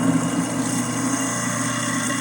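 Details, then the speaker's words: Garbage disposal with hot water trickle grinding a Plink cleaning ball, about 10-15 seconds until noise stops: steady motor whir with gritty churning on top; running normally. "You can basically sort of wait until it stops making a noise. About 10 or 15 seconds."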